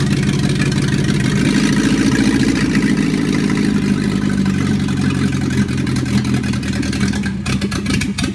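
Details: Volvo 244 DL, B21A engine, first start after overhaul: strong, even four-cylinder run that climbs and settles with the throttle, no knocking or misfire; healthy.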